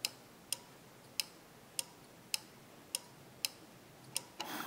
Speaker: so this is then made a connection internal to that chip to ground completing that circuit energizing that relay